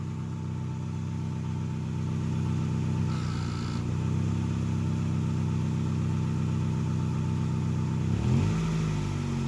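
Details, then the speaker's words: Project car just fitted with new spark plugs and plug wires, custom air intake, idle just fixed: smooth steady low rumble at idle, then a short throttle blip rising and falling cleanly; engine sounds healthy. "now my dad's just gonna give it a little bit of gas so you guys can hear it"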